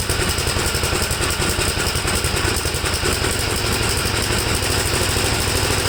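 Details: 1954 Gravely tractor engine after carburetor cleaning, started without choke and seemingly flooded: fast but slightly uneven, lumpy idle that won't settle; rough running, cause suspected, not confirmed.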